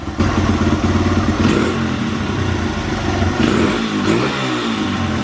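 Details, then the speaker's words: Honda XR100 after hours of carburetor cleaning and retuning: small single revs cleanly through repeated blips, rising and falling without bogging or cutting out; normal revving, though it still starts hard when cold. "I think we finally got this carburetor tuned to where it should be so I'm going to go ahead and fire this thing up and let you guys hear what it sounds like"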